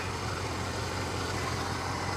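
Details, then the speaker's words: Mercedes with a damaged door and quarter panel, hood open. Smooth, even low V8 hum with a steady beat and no ticks, knocks or misses; a settled idle. Normal idle. "the engine does sound good oh it looks good too"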